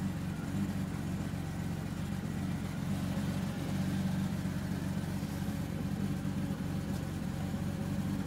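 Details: 2002 BMW 330ci E46 at initial cold start: low uneven idle that lopes and stumbles every few beats with misfires; owner suspects the fuel pump, which sounds low, but cause is unconfirmed.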